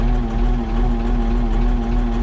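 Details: Oliver 55-series diesel tractor, about 100 hours since engine overhaul (4795 on meter), just started via a failing key switch: steady, even idle with smooth low drone, no knocks or misses; healthy engine.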